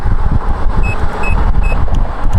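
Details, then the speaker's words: Nikola Plus 100V 1845Wh electric unicycle at about 18 mph, riding in heavy wind noise: three short high beeps about half a second apart, a low-battery speed alarm. "when we log dips down to zero battery I get the first alarm"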